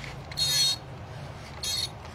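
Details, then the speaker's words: Long-stored 70-200mm f2.8 lens: two short high-pitched focus motor buzzes about a second apart, focus not moving; autofocus jammed, a fault attributed to storing the lens too long, exact cause unsure. "Okey, dia bunyi. Kita tak jalan. Okay, something wrong lah."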